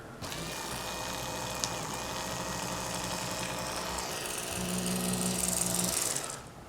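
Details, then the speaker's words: 1994 Saab 9000 Mark IV ABS pump motor bench-run after bearing and bushing replacement, bearing not fully seated: steady electric whir with rough uneven rattle growing with speed; noisy, likely bearing trouble. "that doesn't sound good when i was pressing it down it stay in there the socket must have slipped over a little too far that doesn't sound much better now does it"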